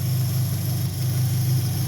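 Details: 2003 Dodge Neon 2.0 with rebuilt head after a timing-belt break, idling after swapping back to the original coil to cure rough running and misfires: steady, even low hum, no stumble or miss.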